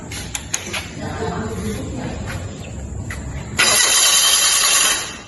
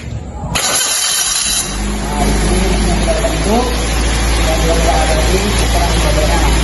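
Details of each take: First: Fuel-injected engine on a training engine stand, cranked with several sensors unplugged (MAP, IAT, CMP): starter turns engine over for a few seconds but it never fires, check-engine light stays on; crank no start. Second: Fuel-injected engine on a training engine stand after clearing codes: short crank catches quickly, settles into steady even idle, no stumble or misfire; MAP reads 27.2 kPa, intake air 40 °C; normal start and idle.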